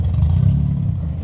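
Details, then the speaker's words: 2003 Honda Element with its catalytic converter stolen, driven onto a tow truck: deep, loud, raw exhaust drone that swells as the engine pulls. Loud exhaust from missing catalytic converter. "Plus it's loud. It's so loud. I hate it so much."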